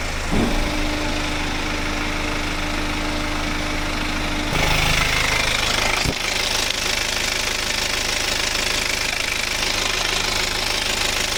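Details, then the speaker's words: BMW with N47 diesel engine, hot, idling during a ZF 8HP45 automatic transmission flush: steady singing whine over the diesel clatter, mechanic believes it is the timing chain, customer also reported chain concern; timing chain noise. "Le moteur est brouillant. C'est N47 dedans et il chante un peu hein. Et quand ça chante comme ça pour moi c'est la chaîne."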